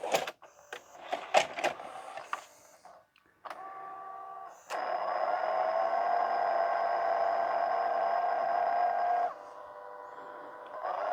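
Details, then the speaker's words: E-waste LG/NEC VCR, tape inserted and rewind selected: irregular clicks and clatter, then a steady motor whine for several seconds cutting off abruptly; stuck in rewind without threading tape around the head, dirty mode switch. "Oh, I don't know what's going on there. Something strange is happening. Oh, it's still in rewind mode."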